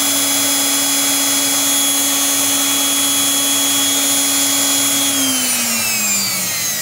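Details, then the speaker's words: Brushed electric planer motor on a prototype DC-to-AC 60Hz inverter (12V DC to 127V AC target): high steady whir with even hum at very high speed, then pitch sags as it spins down; running smoothly. "está girando aqui mas o giro aqui é muito alto"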